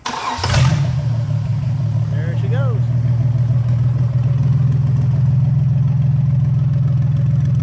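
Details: 1996 Mercruiser 4.3 with new crank kit, bench test run on electric fuel pump from gas can, Mercruiser electronic ignition, cold day: cranks and catches within a second, steady even low rumble, no knocks or misses; normal start and run.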